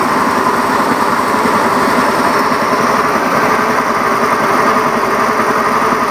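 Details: Honda Beat FI eSP eco scooter: buzzy, coarse idle with irregular flutter, no smooth hum; engine runs rough, cause unknown, asks for help diagnosing.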